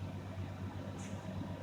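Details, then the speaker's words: 1988 Ford Ranger GT idling while warming up on a 35–36 °F morning: low, uneven idle with a wandering, dipping beat and shake; misfire, owner plans a tune-up with cap and rotor, cause unconfirmed. "she has developed a rough idle i'll probably probably this weekend i might get it out and just ease it down the road uh like i said just sitting here idling uh you can see the misfire right there and then she's got a little shake to her from the misfire"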